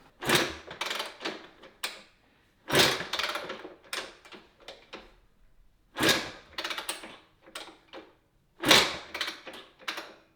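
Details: Rebuilt barn-find 1991 Honda CR125 two-stroke, radiators without coolant, kickstarting; four kicks about every two and a half seconds, clattering with no firing; spark plug came out bone dry.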